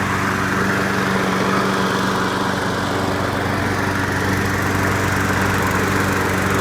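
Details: Craftsman Platinum EZ Walk lawn mower, 6.75 gross torque single-cylinder engine, after carburetor replacement: steady, even putter at constant speed, no misses or surging; runs clean.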